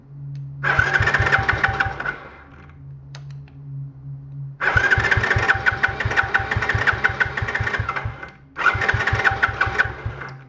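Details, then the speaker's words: Small ATV after electrical fixes, started with choke on ether: catches in three short ragged bursts, each dying within seconds; runs only on ether, carburetor suspected clogged. "I was just running on ether all right well so we're going to have to tear the carb down cuz it looks like that's not it's uh clogged up or something cuz it ran on ether a little bit but that was it"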